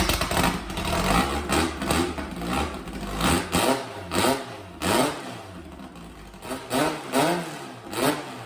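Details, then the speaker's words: Old drag car's air-cooled flat-four with IDA carburetors supposedly fitted with Weber parts, late fuel-injected case, engine specs unknown: raspy note blipped repeatedly, revs rising and falling crisply with no knocks or misses; runs healthy. "But it sounds really good, but it's empty IDAs that supposedly have had Weber parts put in them and set up and blah, blah, blah."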